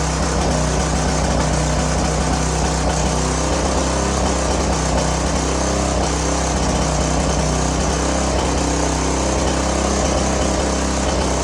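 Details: Curb-found greasy string trimmer, small engine with oil topped up (was low), oil previously in cylinder and intake, runs at a steady even pace with no misses or surging while smoking heavily from the oil; sounds healthy.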